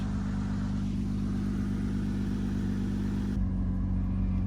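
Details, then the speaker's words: 2007 Saturn Vue 3.5 V6 (Honda), 5-speed automatic, AWD, 359,000 miles on original exhaust: loud, deep, raspy drone with coarse low rumble at steady speed; exhaust leak where pipe bolts to next pipe, rusted away, before replacement. "Saturn View has developed an exhaust leak where the white pipe bolts on to the next pipe down the system it's rusted away"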